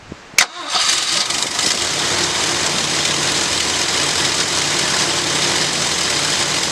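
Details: After rebuilding the Edelbrock carburetor on a 1965 Ford Galaxie, engine cranks briefly, catches cleanly and settles into a steady, even idle with no stumble or hunting; owner says it sounds like it's breathing a whole lot better.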